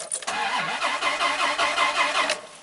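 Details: 1995 Dodge Ram V10 with a cold-weather no-start, no check engine light and many parts already replaced by the owner: about two seconds of steady, even cranking that never catches or fires.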